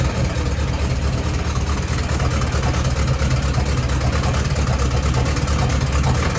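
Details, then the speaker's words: 1972 Range Rover A-suffix project, tight engine, running on a start-and-charge booster with a leaking exhaust: lumpy, ragged, unsteady idle. Running rough; owner suspects ignition timing too far out, not confirmed. "Rough setting at the moment."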